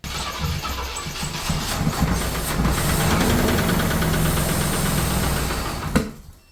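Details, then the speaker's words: 1978 Cadillac DeVille engine, sat 15+ years, no oil pressure reading; rough cranking that catches and fires with a few uneven knocks before cutting out, blamed on a stuck valve that had been freed before and stuck again. "unfortunately our Infamous knock is back that valve is stuck so we take the VOR back off try and free up valve"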